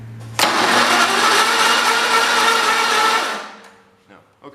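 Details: 1980s Husky garden tractor, acquired free, after its spark plug was cleaned: about three seconds of steady starter cranking with no firing at all. It turns over but won't start, and the cause is still unknown.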